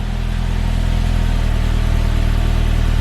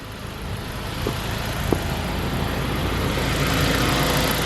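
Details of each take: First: 2003 Saab 9-5 Linear after PCV oil-consumption fix, cold engine with revs held high before dropping to normal idle: loud hollow droning booming exhaust, way louder than before; rear silencer has lost its packing. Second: 2003 Saab 9-5 Linear turbo petrol after PCV repair for oil consumption: steady even smooth idle, low hum, no misses or knocks; runs very nicely (owner notes it still needs new spark plugs).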